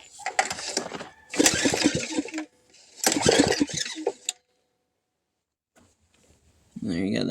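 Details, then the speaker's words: $100 pull-start generator that sat unused, unknown fault: three quick pulls, engine spins over freely with good compression but never catches; no start. "It does turn over though, so let's get into it, I guess. In my opinion, I think it um cranks over pretty good."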